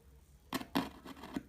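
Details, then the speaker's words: Computer speaker tweeter pulled from the back of the mainframe and tested by touching a battery to it; a few sharp dry crackles, one per touch, proving the horn is not bad; healthy tweeter crackle. "It keeps ringing like this, and if you think about it like this, it proves that the horn is not bad."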